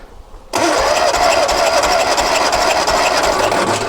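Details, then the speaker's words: Lotus Twin Cam, cold after months unused, compression test on cylinder 1: steady rapid starter cranking with even churn, reading about 145 psi and holding; good compression. "But as you can see, it's not moving. It's holding the pressure."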